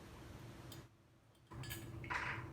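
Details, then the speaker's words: Ceiling fan light pull-chain switch, new replacement for an old one that no longer clicked: a couple of crisp, distinct clicks as the switch snaps over cleanly. "here's the new one hear the click so this is definitely the issue"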